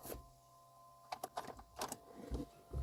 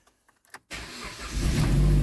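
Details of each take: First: 2010 Jeep Compass no-start, before repair; fuel pump heard and fuel system lean code reported: a few clicks and thumps, then a steady starter crank at about three pulses a second that never catches. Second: 2010 Jeep Compass after a no-start traced to a corroded ASD box; throttle position codes present: a few faint clicks, then it catches at once and settles into a smooth idle; healthy start.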